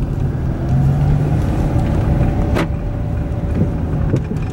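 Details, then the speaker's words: Chrysler Town and Country driven with tires at 25 psi: heavy road rumble with a sharp clunk mid-drive and softer knocks over bumps; front end clunks badly, owner suspects sway bar or possibly struts, unconfirmed. "i hear that front end clunking i can't make it out if it's a sway bar"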